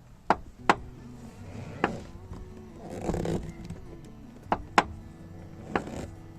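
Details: Toyota car door making sharp, hard clicks when opened and closed; broken door check strap with play, fixed by replacing the strap.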